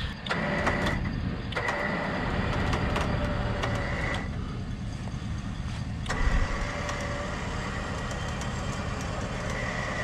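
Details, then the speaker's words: Cadillac Escalade 6.0 AWD in Drive with wheels turned right, labouring in mud: a thin high whine cutting in and out over the rumble; unidentified noise the owner suspects may relate to a failed AC condenser. "that noise started happening ever since my AC condenser went bad I wonder if I had something to do with that"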